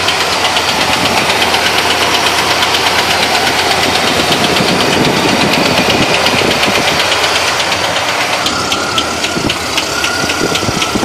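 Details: 1970 Chevrolet Malibu, 350 small-block V8 petrol idling with a loud, sharp metallic knock tapping steadily, like a screwdriver handle struck hard on the engine; source still being located.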